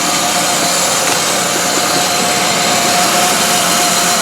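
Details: 1999 Pontiac Grand Am 2.4L after timing chain replacement, idling with a slightly noisy AC compressor clutch: uneven, hissy idle with a loose, wavering beat; still rough and smelling rich, engine later found badly damaged internally.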